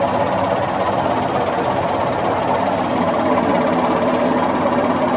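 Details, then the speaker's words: LG inverter direct-drive washing machine, 20+ years old, spinning after its drum dampers were replaced. A high thin squeal over the rushing drum from the front; the owner suspects door seal friction during spin. Squeal during spin. "Just replace the dampers on the drum. There was a nasty squealing from the front."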